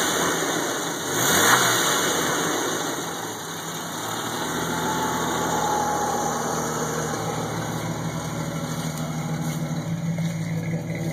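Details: Jeep 4.0 six-cylinder idling with a light, loosely regular knock or rattle through the steady hum; cause undiagnosed.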